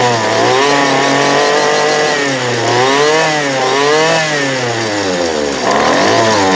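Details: 2008 Poulan Pro PP25E 25cc straight-shaft trimmer, abused, with misrouted fuel lines and a clogged carb screen, running again: small two-stroke revving freely up and down, picking up cleanly each time; smoking off garbage, still needs carb adjustment.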